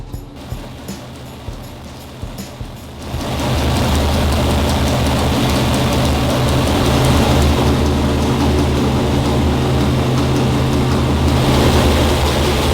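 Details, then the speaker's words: Warmed-up 340 V8 on the dyno, already broken in and tuned the day before; a few ticks, then it catches and settles into a steady, even drone with no knocks, misses, leaks or vibrations; normal running. "no strange noises no leaks no vibrations the 340 is looking good"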